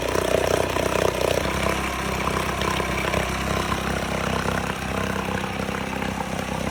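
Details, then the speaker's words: 1969 Johnson Sea Horse 1.5 hp two-stroke outboard, running for the first time in years, off choke, after water was added to the lower end: steady even buzz with no misses or surging, holding speed. Normal running. "Running good now. >> We got this Johnson 1.5 running for the first time in years."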